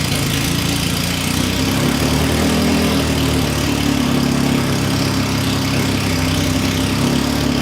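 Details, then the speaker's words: Classic Mini race car engine with a big carb, no exhaust or breathers, on its first start from cold: a loud, raw idle with a steady, even beat and no misfires. The freshly built engine runs cleanly. "It's really free revving and sounds like a race engine should. I was quite surprised at how well it just idled even from cold."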